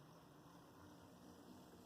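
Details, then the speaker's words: Athearn Blue Box Alco PA-1 model locomotive after tune-up and reassembly, on power pack: quiet even motor hum with soft steady gear whir, no catches or rattles; runs smoothly. "I'm going to have to say, it sounds good too."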